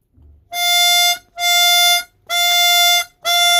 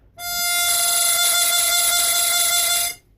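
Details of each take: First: Chromatic 64 harmonica with a flutter-prone windsaver held down by finger: four even, steady draw notes, clear and full with no flutter or buzz, confirming that windsaver as the cause. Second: Chromatic 64 harmonica, cross-tuned, before repair: held draw note with a fast fluttering waver throughout ("motorboating"), the windsaver being sucked in and popping back; very common windsaver flutter fault.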